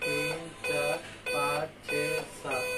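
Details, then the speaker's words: Dell laptop motherboard LA-B843P Rev 1 on bench power with a speaker attached, fan running: long, even tones about half a second each with short gaps, part of a seven-beep POST code commonly read as a processor-related fault. "इस मामले में अक्सर ऐसा होता है कि कई लोग कहते हैं कि सात बीप का मतलब प्रोसेसर में कोई समस्या है। यह प्रोसेसर से संबंधित समस्या है।"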